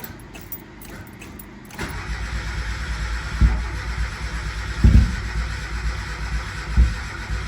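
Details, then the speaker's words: Mazda Miata cranked after water pump and timing belt install, with only the airbox and plug wires refitted: steady starter cranking with a few weak, uneven puffs and no catch. Crank, no start; sounds out of time even though the owner believes the cams are set correctly. "Nope. Still out of time. So, we did not get the car to start. I don't know why I have those cams on correctly. I don't know what's going on. It just sounds like it's out of time."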